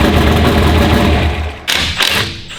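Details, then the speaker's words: Race car idling: loud, lumpy low idle with an uneven pulse, then a heavy thump; a misfire from a dead cylinder. Injector, coil, plug wire and spark plug were already checked; cylinders 4 and 7 are suspected and the cause is unconfirmed. "So we got a dead hole, and we've done some troubleshooting with the injector and the coil and the plug wire, spark plug, pretty much everything."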